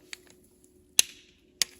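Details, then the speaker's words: Orcal Sirio/Astor motorcycle spark plug tightened to 12.5 Nm with a click torque wrench during servicing: two sharp metallic clicks about half a second apart in a quiet shop as the wrench releases at set torque. "le claquement ça veut dire qu'on a atteint le couple de serrage donc pas besoin de faire plus"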